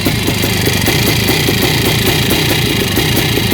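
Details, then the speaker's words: YZ490 air-cooled two-stroke after installing missing kickstart idle gear parts, now running the right direction: sharp, fast, even popping from the top end with no misses; healthy idle, maybe slightly rich. "okay so sounds good all right sounds good man these uh these air cooled motors are sure noisy though listen to the top end of that thing"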